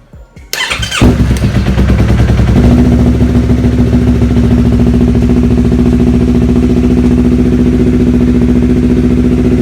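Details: Yamaha R3 after a starting problem was solved (starter suspected as the cause): the starter turns briefly and the engine catches within a second, then settles into a steady, even idle with no grinding or clicking.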